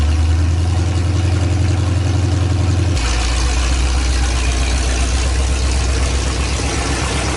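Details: 1984 Ford Bronco, 351 Windsor 5.8L V8, first start in about a month after Hedman long-tube headers and maintenance, running open headers: very loud deep lumpy burble at steady idle, even firing, no knocks or ticks, not revved; normal idle.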